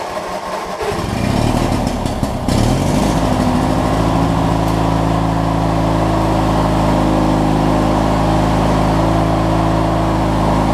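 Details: Craftsman LT1000 opposed-twin rider, started after fuel was added to the dry tank: catches after a brief crank and settles into a steady, even low idle with no misses or knocks. Normal, healthy idle.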